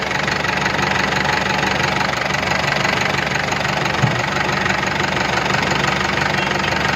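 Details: Tata Yodha BS4 diesel pickup at idle: steady, fairly regular knock about three a second over a rough clattery engine.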